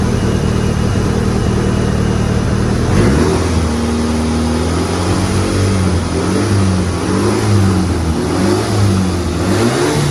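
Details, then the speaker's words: Petrol car engine, converted CK to Evo AWD, first start after installation: steady idle, then smooth revs up and down with no valve ticking or knocking; engine sounds very healthy. "sekilas Saya dengar dari suara mesin mesin sangat sehat ya teman-teman Eh mau digas suaranya pun halus enggak ada bunyi klep atau bantingan Club ya"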